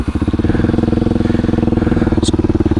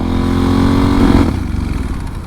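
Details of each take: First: Kawasaki Super Sherpa single, first start after about a year unused, fuel hose refitted with a clamp. It starts right up to a steady, even, slow idle, a little low, no misses or knocks; running fine. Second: Kawasaki Super Sherpa with rebuilt forks, ridden on the highway after about 70–72 mph: the engine note holds, then sags and goes ragged as all power is lost under load; apparently out of gas.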